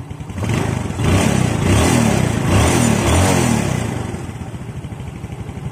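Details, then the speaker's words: Yamaha Jupiter Z (Robot) motorcycle, which was hard to start and ticking, revved after valve clearance adjustment: runs smoothly with the valve tick gone; cause was loose valve adjustment, carburettor tuned afterwards. "hilang ya Lur mantap halus lagi halus lagi ya Lur untuk suaranya Oke berarti permasalahan hanya di bagian setelan klep Ya kurang kencang"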